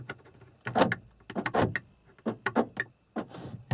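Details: 1994-1997 Honda Accord after door lock actuator replacement: several short crisp clunks as locks cycle via switch, firm and even with no grinding or buzzing; actuator works properly.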